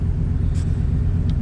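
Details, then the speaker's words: RV after a new fuel pump and new exhaust (two-and-a-half-inch pipe, three inches from muffler to tailpipe, homemade hangers), idling. Deep, even low rumble with no ticks, rattles or misses; exhaust healthy and free-flowing. "see how it does see how it sounds but i do like that sound"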